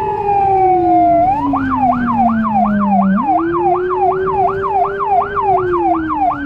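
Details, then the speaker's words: Federal Signal Rumbler siren on a small emergency car in Budapest, recorded from inside via dashcam: a deep pulsing 180–360 Hz drone under a wailing siren cycling about three times a second; siren working properly. "For sure you can hear it from further as you can see the drivers tend to react quicker and they can see me better even if my car is small."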